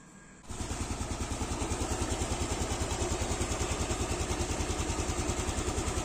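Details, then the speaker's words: Motorcycle with a manual cam chain tensioner after over a year of use, idling after the stretched, slack cam chain was re-tightened: the engine catches and settles into an even, steady idle with no ticking or rattle; normal idle. "ini suaranya lagi normal karena beberapa waktu yang lalu udah saya kencangin lagi"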